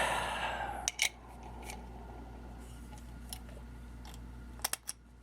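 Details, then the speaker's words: Rear drive of a Yerf Dog kart with 150cc GY6 engine, hand-turned: stiff, had to be broken free, rough gritty crunching rush dying away with dry clicks; rear-end bearings badly worn. "I just tried turning it and it was really stiff and I had to break it free to get it going it was really earthy crunchy so the bearings are really bad in that back end"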